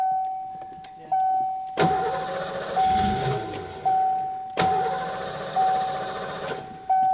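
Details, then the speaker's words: 1990 Ford Mustang GT 5.0 V8 barn find after 30 years sitting, new ignition switch fitted, fuel sprayed directly into intake: starter grinds, engine fires briefly and dies at once, twice; timing, spark and fuel confirmed, compression unchecked. "You can probably hear on the video it catches and then immediately dies, which was why we thought that it was the ignition switch."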